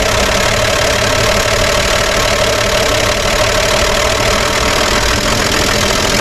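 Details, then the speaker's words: 1955 Chevy 210, sat for many years, first run after setting timing: loud, busy ticking clatter over a steady idle; top-end clatter, owner unsure whether oil is reaching the top end, oil pressure not yet checked. "I'm going to shut that down that top end is very very noisy and I don't know if it's getting oil up top or not"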